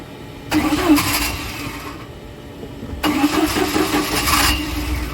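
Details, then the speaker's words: 1987 Bayliner Capri, fuel-injected MerCruiser 3.0 with Holley Super Sniper 2300 EFI, restarted warm after a lake run: two short cranks each catching quickly into a smooth run, no long cranking or stumbling; healthy warm start. "not too bad i'll take it"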